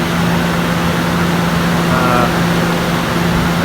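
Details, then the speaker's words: RV roof air conditioner after replacing its loud fan motor. Smooth, even hum with a steady low drone and airflow, no rattles or squeal. The noise problem is fixed; normal running. "definitely took care of that problem"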